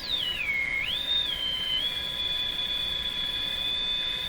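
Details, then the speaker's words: General Electric CL541A ship radio: interfering heterodyne squeal varying in frequency, a strong signal at 460; a shrill whistle glides down, jumps back up, then settles into a steady high tone over faint hiss. "I guess a good question from our radio repair point of view is you hear the interfering squeal that's varying in frequency how do you get rid of that"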